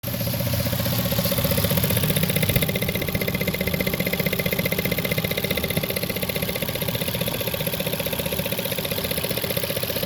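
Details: Toyota 1JZ-GTE in a JZS171, warm after about 20 minutes of driving: idling with a fast, even ticking over the steady running note.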